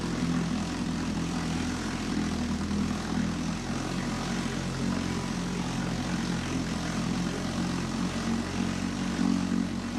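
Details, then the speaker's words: 1954 Johnson Seahorse 3hp two-cylinder two-stroke outboard running in water, mixture leaned, no neutral; a steady even buzzing putter, firing smoothly with no misses or surging, hot water coming from the exhaust, healthy. "all right we got hot water coming out of the exhaust here pretty good"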